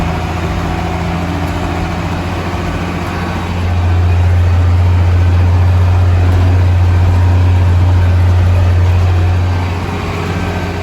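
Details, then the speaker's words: Old International diesel tractor idling on a 32° day, rockers last set at head gasket and injector cup job: steady low thrum with quick even clatter just under four a second; owner suspects rockers need setting, unsure if normal. "so did I do correct in thinking that I need to uh R this in to the workshop this winter to set the uh valves to set the Rockers seems very rattly"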